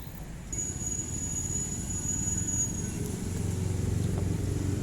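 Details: Hitachi automatic washing machine that won't wash or spin, tested in spin-dry mode; motor hums steadily but the tub doesn't turn, with no spin-up whir; wiring to the motor checks OK, so the motor is faulty.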